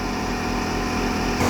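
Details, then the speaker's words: Diesel FC truck, engine hot, heard up close near radiator: steady loud fluttering roar with shaking, loud into the cab; owner suspects one of five cooling fans, unsure which. "มาฟังมาฟังใกล้ๆเลยเนี่ยเสียงมันดังแล้วตะพือมากเลยเสียงมันดังเข้าเก๋งเลย"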